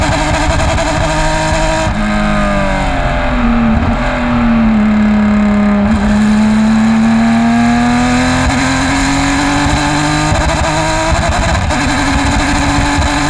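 Engine revs rise and fall through the gears with a rough, uneven stutter under load; sounds like it's misfiring at speed.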